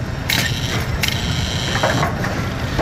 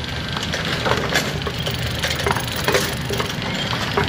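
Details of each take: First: Brunswick A2 bowling pinsetter after adjusting the cycle linkage gap at 180 degrees: running through its cycle with clean mechanical clicks and a steady gear rumble, no binding or grinding; normal cycle. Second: Brunswick A2 bowling pinsetter with neglected gearbox clutch, shoes worn, drive disc surfaces thin and lots of slop: loose, uneven clattering and banging that never settles into a clean cycle; clutch slipping.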